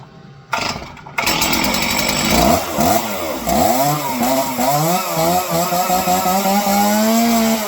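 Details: Stihl chainsaw that wouldn't idle on the low end, being tuned via carburetor high-speed and idle screws, pull-started with choke then unchoked: catches, revs up and drops back to an even idle with no stalling or hunting; fixed.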